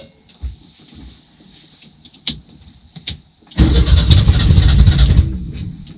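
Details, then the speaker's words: 1966 VW Westfalia SO42 split-window bus, sat over 30 years, first start attempt after static timing: quiet clicks then a ragged low rumble nearly catches for 1.5 seconds and dies; sounds fuel-starved, carburetor may need cleaning (suspected). "yeah she wants to you might have to clean that car it's good to hear at least coughing try it one more time"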